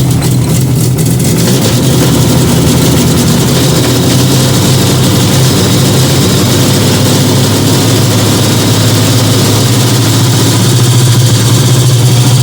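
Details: Fiat 125 twin-cam (Bialbero) running on CNG after fitting a new gas injector to the carburettor and the original air filter, just started; smooth steady low idle holding one even note, no stumbles or hunting, runs very well.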